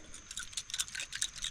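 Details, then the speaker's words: 1986 Honda XR80R dirt bike carburetor, removed and shaken: light uneven high-pitched clinks as a small loose piece rattles inside the body; possibly a broken carb, cause suspected not confirmed. "I don't know if you guys can hear that but something just flopping around in there which means that this could be another issue broken carb something like that"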